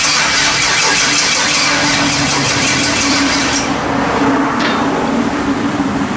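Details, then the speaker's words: LS-swapped S10 pickup with MSD ignition, first start attempt: starter cranks steadily for several seconds without firing; carbon-fouled plugs suspected, which were then pulled and cleaned, coil wiring checked. "thank you that doesn't sound right that's why it won't start plugged your carbon foul"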